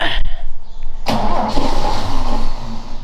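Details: Ford XA Falcon parked outside for an unknown long time, unknown history, cranked after a splash of fuel down the carburetor: after a brief blip, a long steady crank that never catches; no start, likely fuel starvation.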